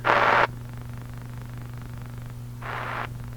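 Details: National HRO 500 communications receiver on its internal power supply: steady low buzz under the audio between bursts of static, lock light unstable, about 9 V measured instead of 12; power supply hum. Cause suspected, not confirmed.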